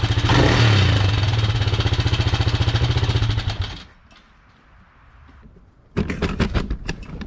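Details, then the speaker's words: Kawasaki Mojave 250 single-cylinder after sitting two years, first start: uneven idle with a light quick tick over the exhaust beat before it stumbles; owner suspects a loose timing chain. "don't know if you could hear that ticking, but it sounded to me like the timing chain."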